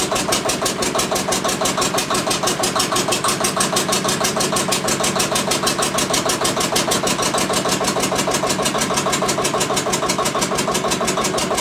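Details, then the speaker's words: Witte diesel generator's first run in 45 years: slow, steady single-cylinder thumping about three beats a second, clattery top end, no audible fault; oil pressure was not building, so it was shut down to investigate. "all right but she's a runner it wasn't building oil pressure so I shut her down until I can investigate that more"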